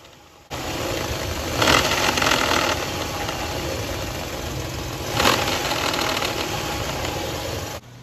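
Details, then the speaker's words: 2004 Nissan Xterra 3.3L V6 at idle: light, uneven clatter of about three ticks a second from the top front of the engine. Owner suspected the distributor and replaced it, plus the plugs and wires. Cause unconfirmed. "so right here I'm going to let you listen to that noise that I had coming from the top of my engine"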